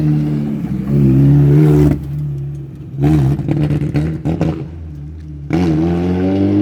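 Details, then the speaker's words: Mini R50 budget race car on test: petrol engine revving unevenly, surging and stumbling between pulls; rough running from a bad ECU base map that needs modifying. "As you can hear, we had a problem with the base map. That's why I said I need to modify it."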